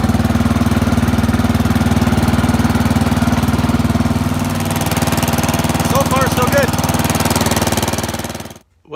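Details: Old Murray riding mower with a 12 hp Briggs & Stratton engine, cold start after the fuel is turned on: steady, even putter at constant speed with no misses or knocks, running healthy; runs, rides and cuts well.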